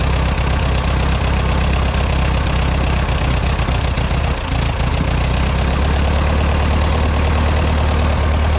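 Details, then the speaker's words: Ferguson TO20 tractor four-cylinder after conversion from points to electronic ignition with new coil and plug wires, throttle fully down: slow low steady idle, firing on all four, no misses or knocks; timing still to be checked. "because the throttle is all the way down right now so these tractors do idle pretty low man that sounds"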